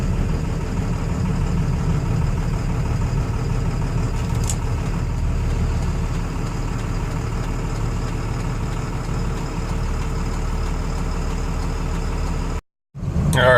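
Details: 24-valve Cummins diesel after fitting 50hp DDP nozzles (4200psi pop pressure, stock was about 3500–3800psi) to fix a worsening idle miss. Steady, even diesel clatter at idle without stumbles or misses, then shutdown.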